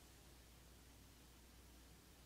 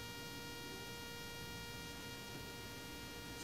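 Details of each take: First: Rode Wireless Go II receiver on a Panasonic Lumix G7 via an extended cable, kept at least four feet from the camera: the buzzing is gone, leaving only a quiet hiss and faint hum; the camera's Wi-Fi is suspected of causing the RF interference. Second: Rode Wireless Go II receiver connected to the camera via its red cable, hot-shoe mounted: steady high-pitched whining buzz caused by RF interference, occurring only with the camera and not with other devices.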